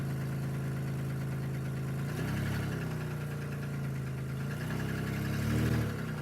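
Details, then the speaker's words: 2002 Chevy Malibu no-start, after crank sensor and ignition switch work, first start after sitting four months: steady idle with smooth low hum and gentle revs rises; fuel leak and a rear wheel that keeps locking up. "this is amazing this thing is running unfortunately I got a fuel leak"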